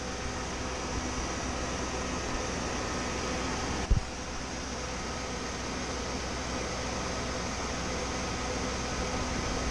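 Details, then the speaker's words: Chevy G20 van, new electric radiator fan with relay and 205°F-on/185°F-off switch, engine warm: fan switched on around 204°F; steady even rush with low hum, no ticking or rubbing, plenty of airflow; normal operation. "204 something it turned on and now it is on I can feel plenty of flow it's working real good we're getting plenty of air"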